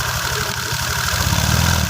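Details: Honda Vario 125 FI scooter after rebuild with new piston and oil pump test: steady, even low putter, clean regular firing, no knocks or ticks; healthy settled idle.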